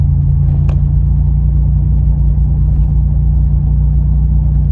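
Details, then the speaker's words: Pontiac Grand Prix G-body, heard from inside while driving: deep, loud, boomy steady rumble at cruise, heavier than stock; the muffler casing has blown a hole and is leaking exhaust, a common fault on these cars. "If you're familiar with these cars, you'll know that those mufflers always seem to blow a hole somewhere over time in the casing. So this one has a leak, but that doesn't matter."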